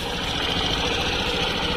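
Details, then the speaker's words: Suzuki Burgman Street EX 125 scooter, hot engine, after valve adjustment: even idle with only a faint light ticking under a steady buzz; earlier loud clicking much reduced, now like a standard automatic scooter. "Menurut saya, sekarang sudah oke, sama seperti sepeda motor otomatis standar."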